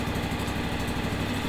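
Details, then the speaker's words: John Deere X728 four-wheel-drive lawn tractor after shop repair of a no-start: steady, even low thrum with no misses or knocks; idles smoothly, normal. "the battery was testing good nice smooth running motor"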